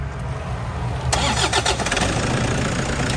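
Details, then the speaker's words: 2014 Toyota Vigo Champ 2.5 L (2,500 VN) diesel, fresh oil change, start. Short crank, catches in about a second, steady even diesel clatter; runs soft and smooth, no valve cover leaks; healthy start. "เครื่องดังนิ่มมากนะครับฝาก็คงขวาล์วไม่มีมีรั่วไม่มีซิมนะครับ"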